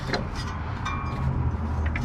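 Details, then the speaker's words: 1958 Chevy Apache truck, not run for 20 years, being turned over: slow, even low chugging with each compression stroke sounding alike. Compression seems healthy and the rings seem okay. "so like not even you can hear the compression building up in it so the Rings are still seem okay"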